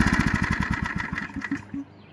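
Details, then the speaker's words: Heavily used Generac 3500XL generator that sat three years in a shed, now with gas, oil and spark. Rapid putting slows and weakens within two seconds, then dies right after catching. Cause unconfirmed. "and dead. Oh, we had it for another second."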